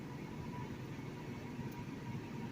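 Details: 2010 BMW 328i with 230,000 miles after replacing the eccentric shaft motor, which codes showed shorted internally (previously rpm hunted 400-1500 and it nearly died); quiet, smooth idle hum without surging, healthy.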